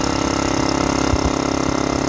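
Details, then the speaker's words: Used returned DeWalt DXCM601 60-gallon air compressor under test; it keeps running and dumping air instead of stopping at pressure; the motor and pump chug in a fast, even beat. "so the unit kept running and I could hear it dumping air and then running and dumping air"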